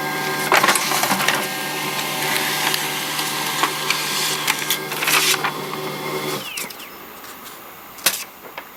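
Busy feed and roller noise with a thin high squeak that slides in pitch while it runs, then stops; the printer squeaks while printing.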